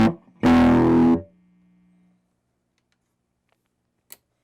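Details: Fender Blues Deluxe guitar amp on the clean channel, first power-up after repairs: chord comes out harsh and fuzzy and dies away quickly, highs odd, lows breaking up; distorted output, cause unknown.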